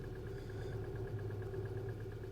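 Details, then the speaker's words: 2016 Hyundai Elantra 2.0 direct injection, P0017 cam-crank correlation, after short block replacement with old tensioner reused: light rapid slapping ticks at idle, cams off one or two degrees; weak tensioner suspected, not yet opened. "so as you can hear that you can hear a it's like a slapping right and as you can see there it's like off uh maybe two or one degree in there same thing with our intake but"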